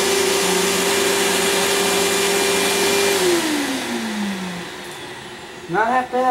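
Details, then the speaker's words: Riccar 100 bagged 10-amp vacuum with its bag poorly fitted: motor drones on a steady note then sags and drops in pitch as the bag comes loose and blows debris into the filter area; detached vacuum bag. "And I'm not liking that sound. Let's see the damage. That's not good. Oh yeah, we had a major problem. I didn't put the bag on very well."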